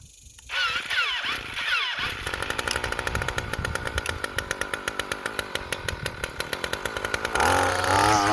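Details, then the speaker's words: 2-stroke string trimmer with electric start, after carburetor cleaning and reassembly, run briefly without the cutter head: starter whirrs, then it catches and runs with a steady, even, fast buzz that rises cleanly; normal running. "want to run it too much without the cutter head on there, but it looks like this thing's working."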